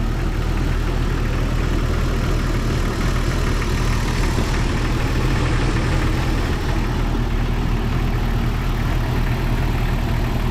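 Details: 1997 Jeep Cherokee XJ 4.0 inline-six idling after radiator and rebuilt NAPA power steering pump replacement: even low idle hum, no squeal or whine from the belt-driven pump; pulley appears slightly wobbly.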